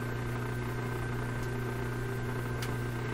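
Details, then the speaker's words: 1930s Canadian Rogers Majestic 4511 tube radio under inspection with a tuned loop antenna: a constant low buzzing hum of fixed pitch that does not change with volume. Almost certainly weak power supply filtering. "well that hum is really quite distinct independent of the volume almost certainly the power supply filtering is weak in the radio"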